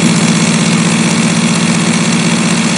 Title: 1 dari 9 Ini Mungkin Salah Satu Penyebab Outdoor AC Kamu Berisik Hingga Bergetar Hebat